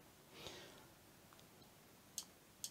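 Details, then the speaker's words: Parallel boost converters running at low output into a brake light bulb: sharp bright clicks about half a second apart, one loud, the other much quieter. "that one's clicking you could probably even hear that one it's pretty loud this one's much quieter"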